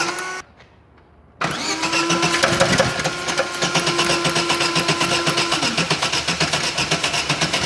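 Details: Chevrolet Corsa engine starts and runs with a steady tick about four per second over the idle; engine ticking noise, cause cannot be told from the sound.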